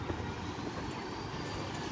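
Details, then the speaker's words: Ceiling fan after repair of a humming, not-rotating fault, with supply reconnected: a soft, even whoosh from the spinning blades with no hum or stalling. It now spins freely at full speed. "यहां पर देखिए हमारा fan घूम रहा है आपके सामने यहां पर देखिए हमारा जो है बिल्कुल आसानी से ये फैन हमारा अच्छे से घूम रहा है"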